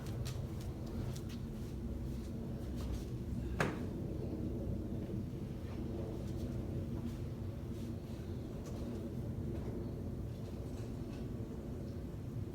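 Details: 2014 Ford Escape 1.6L after head gasket replacement, warmed up and driven: steady, even low idle with a smooth rumble, no knocks, misses or ticking; runs healthy, repair called a success.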